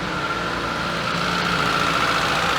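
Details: ZAZ Sens with a rebuilt engine that sometimes stalls and then won't start, on a scanner with no fault codes; cold engine idling smooth and steady but a little high, about 1100 rpm versus an expected 870–890; no knocks or misses.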